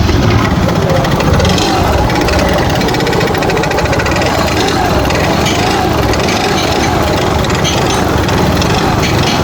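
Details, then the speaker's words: Yamaha Fascino 125 BS6 scooter brought in for heavy smoke, revved: loud, rough, clattery running with heavy rattle over the exhaust from a worn, carboned piston slapping in the bore. "इस तरीके से engine में sound आ रहा है"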